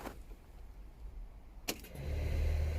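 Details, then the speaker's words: Toyota MR2 with originally missing fan fuses, engine off; click then steady low buzzing hum at key position two from the radiator fans running at key-on, reason unknown. "i put my key in position two and the buzzing starts again"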